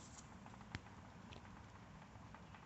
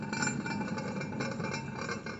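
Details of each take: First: Good replacement caster wheel bearing from a mower's front caster wheel, installed the day before, hand-spun: runs almost silently with only a faint soft patter and no grinding, unlike the worn bearings being replaced after 415 hours. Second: Hand-spun front caster wheel of a Bad Boy mower after 415 hours: dry, gritty grinding hiss with faint clinks. The worn wheel bearing is about to go and is being replaced along with the others.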